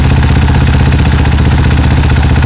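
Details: Honda CRF150L single-cylinder with aftermarket Juken 5 ECU being tuned (fuel, ignition, idle RPM) after warm-up: steady, even idle with deep regular pulse, no misses or rattles; normal healthy tickover.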